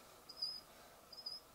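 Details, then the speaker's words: 12 VDC FanTastic RV roof vent fan, about four years old, before cleaning: faint high chirps in short bursts, also squeaks when wind spins it while off; owner suspects a dry bearing needing lubrication. "yeah sometimes even when it's not on and the wind blows through it'll do that that drives me crazy so I think there must be a bearing in there that needs a little bit of lubrication"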